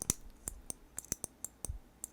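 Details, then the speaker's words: BIQU B1 SE Plus 3D printer filament runout sensor, a basic micro switch with no ball bearing felt: filament pushed in gives crisp sharp clicks, about eight in two seconds, in a quiet room; normal micro switch click. "this is just your probably your basic micro switch sensor really easy to tell we just shove some filament in there and uh listen for the click"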